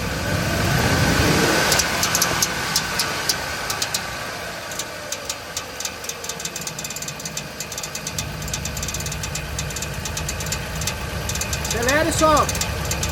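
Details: Jeep Liberty V6 automatic with a strange engine noise after driving, revved and released at idle. Quick metallic ticking and scraping rides over the idle, caused by a defective starter motor whose pinion touches the flexplate.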